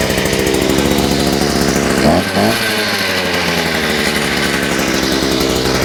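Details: Small engine on a bench with a new Chinese carburetor, its reversed fuel pickups just corrected, buzzes steadily then briefly stumbles and sags before recovering, as if fuel-starved; owner suspects a kink in the fuel line, engine stumbling.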